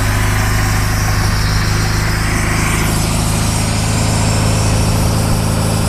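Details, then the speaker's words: Cold MerCruiser 3.0 boat engine after winter, out of gear, garden hose supplying cooling water, carburetor primed by pumping the throttle. It catches and holds a steady, slightly uneven cold idle under loud wash noise: a normal start. "So what you do is just you pump some gas into carburetor. Because of the winter, you need to do that, and your engine is cold. So let's see if it starts."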